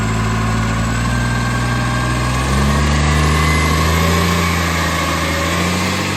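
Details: Monash Green Waste vehicle #2648 diesel at steady idle, with a quick, regular puffing tick about four per second riding on top. Exhaust leak.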